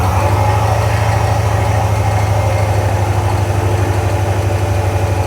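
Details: 1991 Ford F150 4x4 that sat outside for years, started after intake cleaner spray: lumpy, uneven, wandering idle. Possibly bad fuel; it is running off the rear tank at a quarter. Cause unconfirmed.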